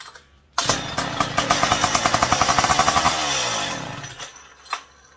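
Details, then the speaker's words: McCulloch PM700 chainsaw, now with newly fabricated expansion chamber: fires on prime and runs briefly with even, quick, quiet firing pulses, then fades out; no leaks seen, clean and steady. "sounds really quiet oh my goodness was it leaking out the bottom did you see it I don't think it was leaking at all that sounded cool"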